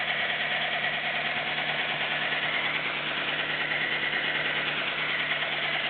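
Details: Nissan Micra 1.0 16V at idle: light, fast ticking at about three taps a second over a steady idle, heard after the belts were tensioned; owner suspects only the valves are tapping.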